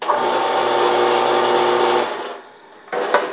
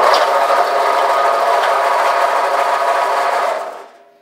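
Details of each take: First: Old Harbor Freight 4x6 bandsaw run with the belt removed: smooth quiet motor hum spinning down cleanly, so the motor isn't the noise source; crunchy feel points to a likely bad bearing. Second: Harbor Freight 4x6 bandsaw, up to about 10 years old, running with a harsh, gritty roar and faint rough pulse that had become loud enough to need ear protection; the motor alone is quiet, so the noise is likely a worn bearing in the drive.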